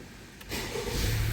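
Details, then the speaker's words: 2015-2021 Honda Civic with a no-start fixed by replacing blown ignition coil fuse 15, restoring 12 V: brief quiet, then engine catches cleanly and settles into a steady low idle; normal start. "great success see now start car great success"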